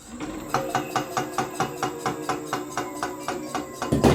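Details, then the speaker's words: Homemade 72V 12,000W electric dirt bike on a Kawasaki KX250 frame; regular scraping clicks, about five a second, over motor hum as a brake disc bolt rubs the caliper bolt; fix is shortening the bolt. "it's basically just this bolt that holds on the brake disc is rubbing up against the bolt that holds the caliper"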